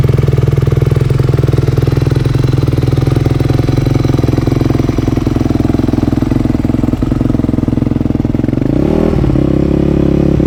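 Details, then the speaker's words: 2008 Yamaha YZ250F four-stroke after full rebuild, first start, warming up: idle with steady ticking chatter, rev blip near end; top-end noise, cause unconfirmed. "well we got the bike started did you hear that noise we did something's not right"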